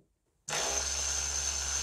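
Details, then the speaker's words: Mercedes W210 ABS pump tested by jumping relay socket pins 30 and 87: pump switches on abruptly and runs a steady, even high-pitched whir with constant tone and no rattle; pump motor working normally. "one easy way to test if the pump works is to jump these two pins number 30 and 87 so let's see we should hear the pump work right now"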